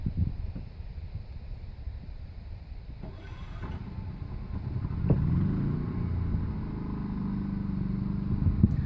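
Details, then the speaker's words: Champion 3100 W inverter generator, remote-started, heard from inside the camper: faint then a low, even hum with no surging; normal running. "like that pretty impressive even Megan likes it"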